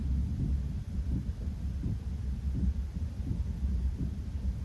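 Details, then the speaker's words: Chinese diesel heater in a van, running at temperature: soft low pulsing thump about every 0.7 seconds, like a distant chugging locomotive. Normal operation, not irritating. "as you can hear, once it comes up to temperature, it's just a low, far off locomotive that's like choo, choo, choo."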